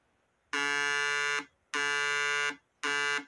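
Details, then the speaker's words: Homemade 12 V mini inverter oscillator board tested with a speaker on the outputs before connecting the MOSFET power stage: steady buzzy 60 Hz oscillation tone in bursts about a second; board oscillating correctly. "que aconteceu o alto-falante está oscilando tá fazendo um zumbido de oscilação e 60 Hertz"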